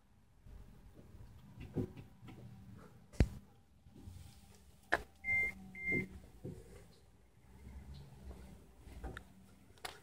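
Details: 2016 Nissan Leaf 30 kWh on an LCS-25 charging station at full charge: quiet background with sharp, irregular relay clicks every second or two and a couple of short beeps, the charger relay cycling continuously.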